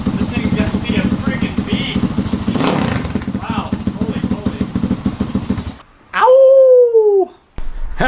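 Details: Boom Vader Grom clone motorcycle, 190cc single, first start on carburetor after fixing a misaligned pickup, rewiring and fitting an aftermarket exhaust: fires with uneven choppy thumping, settles into running, then drops away; starts and runs fine.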